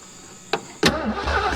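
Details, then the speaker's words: 1973 Ford Mustang Mach 1 with a 351 engine, sat over 15 years, solenoid jumped with a connected battery. A sharp click, then the starter spins the engine over briskly and evenly. The starter works. "Well, there she goes. She spins over just fine, so we got starter."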